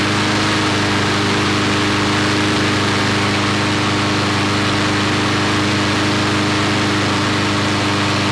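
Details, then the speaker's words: Briggs & Stratton 5-6 hp flathead mower engine, long-stored, after governor rpm adjustment from 2160 rpm: steady, even single-cylinder drone at constant speed with no hunting or misses; leftover oil in the muffler from first startup; healthy governed speed. "it's running real good okay there's a little bit of oil left over in the muffler from the original startup this thing was stored a long time"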